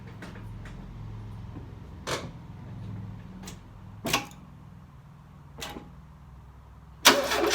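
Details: Engine after sitting 6 months: slow, labored cranking with a few sputtering pops that never catch, then a loud carburetor burst at the end; hard start.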